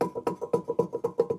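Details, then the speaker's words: Subaru Outback rear wheel bearing, caliper removed, hub spun by hand: rough gritty chatter about seven pulses a second; badly worn bearing awaiting replacement. "hear how bad that wheel bearing is."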